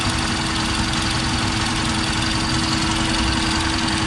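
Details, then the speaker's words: New auto rickshaw engine at idle, before an oil change: a fast, light "kad kad" clattering rattle over a steady idle with a faint hum; mechanic suspects loose tappets, cause not confirmed. "वो तो बड़ी अजीब सी आवाज आ रही है। कड़ कड़ कड़ कड़ कड़ कड़ की आवा आ रही है। टैप ढीले होंगे तो बात करेंगे।"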